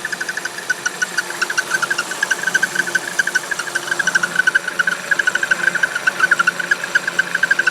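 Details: Buick Encore idling: rapid high chirping squeak from the belt area, first thought a failing pulley, continuing seconds after shutdown and stopping when the dipstick is pulled; cause was air leaking past the crankshaft seal.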